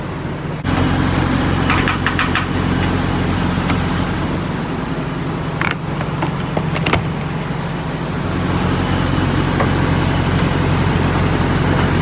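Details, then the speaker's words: Peterbilt 579 back from the dealership with fresh oil, noticeably smoother than before: steady, even low diesel rumble at idle outdoors with no knocks or misses; normal idle. "but here listen to this she just sounds so much smoother put a brand new oil for just a smoother running truck"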